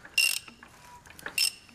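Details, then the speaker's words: High-mileage 5.9 Cummins 12V diesel (P7100 pump), ex-delivery truck, long-sitting with rust, fan removed, turned slowly by hand: two short gritty squeaky crunches; owner suspects the belt, not confirmed. "Oh, do you hear that? That's some crustiness. I think it's just the belt."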